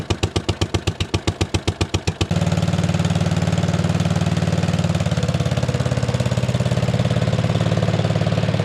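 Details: 1957 Gard'n Mast'r tractor, Briggs & Stratton series 23 9hp single, sat for decades, run with temporary battery-and-coil ignition on the points: a few cranking pulses, then catches and settles into a steady, even thump around 220 a minute; healthy.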